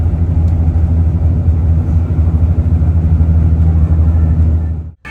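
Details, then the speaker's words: Hino RN bus with Adi Putro Jetbus 2 HDD body, inside cabin at toll-road cruise: heavy constant low drone with throbbing pulse and strong floor vibration, no knock or squeal; source of the resonant hum not found. "mungkin teman-teman kalau ada yang pakai headset atau earphone bisa mendengar jelas suaranya berdengung sekali di dalam"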